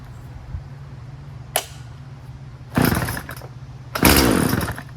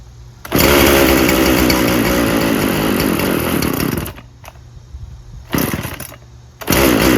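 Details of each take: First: Poulan Pro 50cc 20-inch two-stroke chainsaw after repair: tank thought to be venting now, running 40:1 premix. Settles into a steady idle, then revs up cleanly in two strong bursts with no stumbling; runs healthy. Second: Poulan Pro 50cc 20-inch chainsaw, little gas in tank, no bar oil: runs rough at high revs, dies out around four seconds, catches briefly and refires; it bogs and won't stay running, low fuel suspected.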